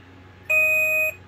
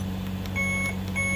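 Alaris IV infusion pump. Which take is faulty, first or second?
first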